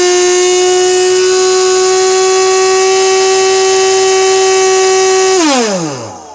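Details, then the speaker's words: 15-year-old Husky 9-gallon shop vac, damaged and making a whining noise for about a month: steady high whine near 370 Hz with bright overtones, sliding down in pitch as the motor spins down. Motor whine, cause unknown. "go so that is currently what I'm dealing with with the Husky noise"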